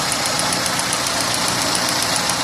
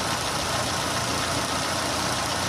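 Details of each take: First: Renault on LPG at idle, before repair: original 3-ohm LPG injectors tick loudly, fast and even, like valve noise, with no other fault; replaced with 2-ohm injectors to remove the noise. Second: Renault running on LPG after replacing noisy 3-ohm gas injectors with 2-ohm injectors, at idle: smooth, even idle with a light steady hiss and no ticking; injector noise gone, engine runs cleanly.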